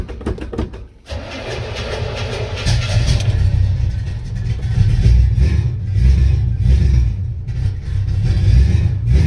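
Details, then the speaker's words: 1967 Chevy C-10 gas engine on its first cold start after sitting about 45 days; a short spell of uneven cranking, then it catches and settles into a deep, lumpy run, a stubborn hard start. "well it's being stubborn i like to let her sit here and warm up for a bit"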